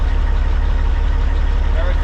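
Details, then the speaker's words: Semi truck with a Cat diesel after an intermittent no-start: deep, even diesel thump at a steady idle with no knocks or misses; healthy-sounding truck. "we're going to go ahead and put it back together shut it off but she a healthy sound an old truck"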